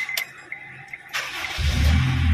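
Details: Honda Civic 1.8 with hard starting, check engine light and blinking D light, scanner showing camshaft sensor fault, after timing marks checked and correct camshaft sensor fitted; short crank, catches cleanly and runs smoothly with no stumble; normal start.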